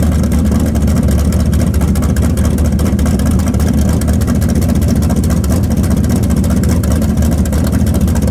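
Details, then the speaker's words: Camaro V8, timing set: deep, steady rumble at an even beat with no misfire, tapping or knocking. Normal running. "Sounds good. Yeah, it does. Just sounds like my old motor."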